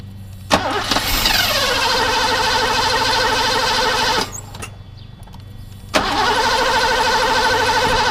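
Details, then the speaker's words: Mercedes W126 560SEL with a fuel distributor suspected of poor calibration, injectors connected, EHA valve plugged in, no cold-start valve: a long whirring crank that catches briefly, dies, then cranks again; hard start. "So it obviously probably won't start right away, so I will have to crank it for a little bit longer. It will misfire, but it is what it is."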